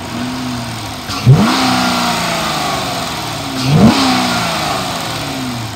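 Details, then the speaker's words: 2013 Dodge Charger PPV, 5.7 L V8, automatic, 80,000 miles, run about an hour: two quick revs rising cleanly and falling to smooth idle, no knocks, strong and responsive; front thump when driving, possibly bad motor mount or bushing. "motor sounds good sounds like it has a lot of power and it's very responsive"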